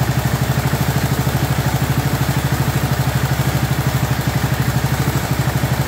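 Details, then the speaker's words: 2004 Murray 12.5 HP lawn tractor, warm, after sticky choke linkage that caused flooding was cleaned and carburetor adjusted. Steady, even single-cylinder putter at a smooth idle, no stumbling or hunting; running properly. "I just want you to hear it running properly instead of running all choked out"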